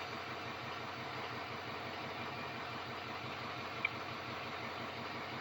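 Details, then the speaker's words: Diesel pickup after replacing all 8 glow plugs, glow plug codes cleared, only P1000 readiness code: low, even idle with no misses; exhaust previously choppy now smooth and solid. "That exhaust is not choppy at all. It actually sounds really good, really solid."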